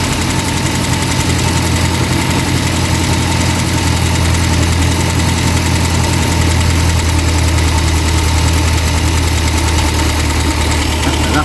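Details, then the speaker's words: Eddie Stobart Reliant Supervan after carburettor strip and clean: steady, slightly lumpy idle, tickover a little high, with a faint light tick on top; owner suggests valve clearances may need doing, nothing major. Oil burning off the block near the exhaust manifold. "Seems to be running fairly smoothly, dare I say it. Not too bad, it's got a little bit of a tick to it. Might have to do the valve clearances on it, that's nothing major."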